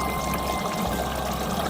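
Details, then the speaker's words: LG washing machine after cleaning the inlet filter to fix IE error: strong, steady gush of water pouring in without sputter or hiss; inlet flow pressure high and healthy. "you can hear the pressure of the water flow is very high"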